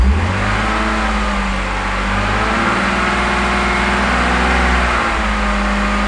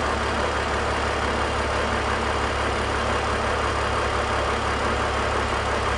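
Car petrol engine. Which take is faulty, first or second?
first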